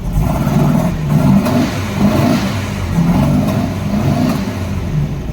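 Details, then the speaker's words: 1964 Volkswagen Beetle, revved in neutral: surging revs with sharp pops on throttle blips about once a second, owner thinks from the carbs, worse under load when accelerating; backfire popping when revving, cause not yet found. "when you rev it up there's a nasty like pop um and it sounds like it's coming from the carbs I'm not sure"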